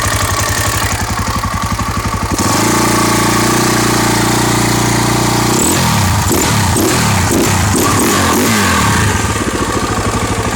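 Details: KTM EXC 525 single, first start after engine repair: fires up and settles to a steady, even idle thump, then takes a few quick clean blips; runs healthy.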